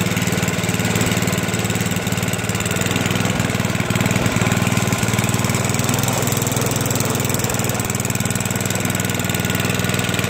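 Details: Toro 421 snowblower, electric start, cold start after at least 2 years unused. Small single-cylinder engine at a steady, even idle with no misses or surging; sounds healthy.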